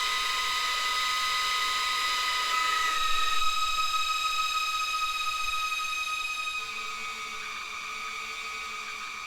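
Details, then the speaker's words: Audi 2.2 Bosch K-Jetronic new injectors on bench flow test: high, even buzzing tones stepping in pitch at idle, half and full throttle, no sputter, identical spray in all five; injectors healthy. "absolutely spot on and you can hear from them from the noise of them as well they have a different pitch at uh you know idle half throttle and full throttle"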